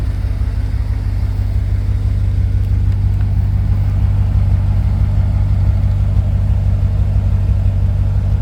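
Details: 1966 Chevy C10 after cleaning the fuel tank, new fuel pump and hard line to carb, carb not yet rebuilt: smooth, even low rumble with no stumbles, knocks or hesitation; normal running.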